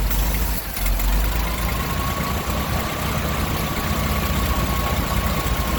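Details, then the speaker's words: Roughly 1960s–early 70s GMC C5000 big six, unrun 8 years, pulling rusty stale fuel from the tank through a filter: low, lumpy idle with uneven beat and occasional stumbles; contaminated fuel, filter needs replacing. "but we got it to prime from that old rusty fuel so we'll give it a go again see if she'll idle"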